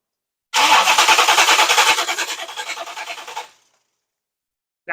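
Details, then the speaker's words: V8-swapped Chevy S10 with an Opti-style ignition, fuel pressurized: starter churns about three seconds with no firing and no spark; suspected chewed wire, coil or Opti. "It looks like, unfortunately, we might have a chewed wire somewhere because everything else has got power."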